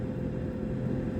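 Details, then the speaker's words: 2002 VAZ 2112 cabin heater blower after replacement with a new Luzar fan, settings two and three: steady low hum with even airflow, no rattle, squeal or grinding; running normally. "Надеюсь, вам слышно, как работает электровентилятор. Второе положение. И третье."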